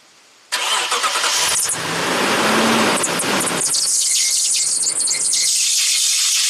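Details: 2015 Toyota Tundra V8 start after new water pump, belt replaced three times and new tensioner: loud shrill screech from startup holding seconds over idle, severe slip easing as the fan kicks in; serpentine belt misrouted on pulleys.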